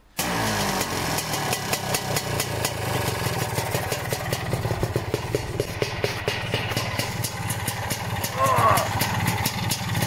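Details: Lambretta Series 2 SS225 scooter, good compression, after a cold 60 km ride: engine settles into fast, sharp, regular ticking with a metallic scraping edge; not flywheel or flywheel cover, footboard split ruled out, source unknown.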